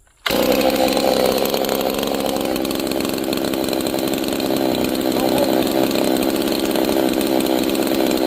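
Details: G660 chainsaw retuned after a timing advance: two-stroke buzzes high and steady at idle, never settling, chain likely creeping; idle mixture too lean, idle adjustment richened to slow the idle.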